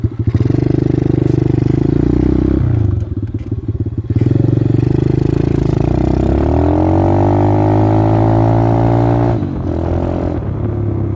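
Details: X-PRO single-cylinder dirt bike after full-throttle hill runs: revs climb unevenly, then stumble and drop out twice before catching; rough running from a misbehaving carburetor the owner can't explain.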